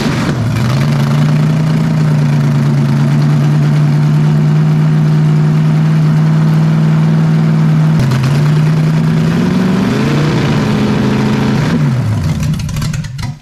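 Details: Freshly built 454 big-block Chevy for a 1972 Camaro, warm. It holds a steady fast idle, then blips and settles back high; smoke was seen near cylinder 8. The owner is unsure of the mixture, and someone suggests changing the cam.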